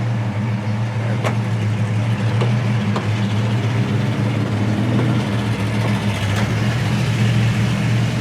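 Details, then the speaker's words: 1974 Pontiac Firebird Formula, numbers-matching 400 V8 4-barrel, 3-speed automatic, dual exhaust: deep, even burble with steady rhythm, no knocks or ticks; engine runs healthy. "Engine runs awesome. It's the numbers matching 400 4-barrel."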